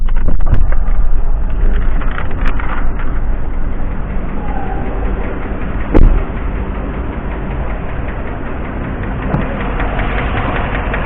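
An idling car engine with a rough, uneven tapping running under its low rumble. Cause suspected, not confirmed.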